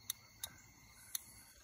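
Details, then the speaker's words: Relay bench test, control circuit energized with jumpers from a battery: four crisp sharp clicks as the relay pulls in, heard with either polarity; control circuit working. "hear that click that means the control circuit itself is working"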